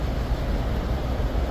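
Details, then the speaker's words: 2013 Ford F150 FX4, 5.0 Coyote V8, idling just after a Roush cold air intake install: deep, even rumble with no ticking, hissing or uneven beats. The idle sounds normal; the owner notes one area still needs tightening. "All right. We started the truck up. Just one last little clip video to end it off."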